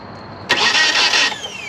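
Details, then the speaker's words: 1997 Nissan Altima, 200,000+ miles, crank no start, while holding gas pedal about 15 seconds to clear flooding: under a second of whirring cranking, spins down without firing; customer ended up needing new distributor, spark plugs and wires. "So, all I did there was hold the uh gas pedal for about 15 seconds, allow the gas to flow back into the system, so that way it's not flooded. Um I was hoping it would just crank over cuz that would be a simple fix, right?"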